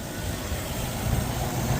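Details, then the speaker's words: 2007 Chevy Vortec V8 truck with BTR cam swap and oil pump girdle installed, back on road after sitting several years, first test drive: low even rumble, cam barely audible, no ticking or knocking; quiet, healthy, though a little mist seen, source unknown. "Oh, you can barely hear the cam too. Barely hear the cam."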